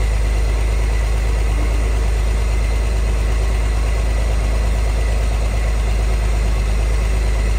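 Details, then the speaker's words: 1963 Corvair air-cooled six, parked since 1975, running on its own fuel pump: steady even low idle rumble, no knocks, misses or squeals; earlier suspected fan or generator noise now reduced. "I don't hear it as much now as I did before but it's running off its own fuel pump right now"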